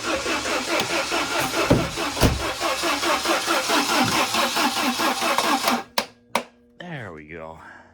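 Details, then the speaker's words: 1993 Saab 900 being revived after sitting: steady cranking a little over two turns a second for several seconds, no catch; starter won't disengage; owner suspects the broken ignition coil. "i got the starter work but now it works too good where it won't shut off um also it still doesn't start"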